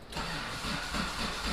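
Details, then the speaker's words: Mitsubishi 3000GT VR4 twin-turbo 6G72 DOHC, new engine, strong spark confirmed, starter fluid tried: even cranking about four beats a second, never catches; suspected builder installed front cams swapped (exhaust/intake), so valve timing wrong. "So what we're thinking now is that they actually got the cams wrong."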